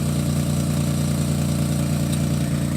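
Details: 2006 Chevy Equinox just after muffler replacement with new exhaust clamps: steady, even low idle rumble with no rattles, hiss or leaks; normal idle.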